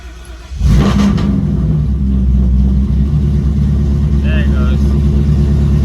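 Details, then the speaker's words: Silverback Mustang GT500 V8, hot restart: engine catches with a quick rev flare, then drops straight to a low, rough idle and wants to stall; the tune may need to rev up slightly and fall slower. Cause unconfirmed. "probably need to make it where it'll rev up just a little bit and fall down slower but i'll get that to line and we'll we'll check it out"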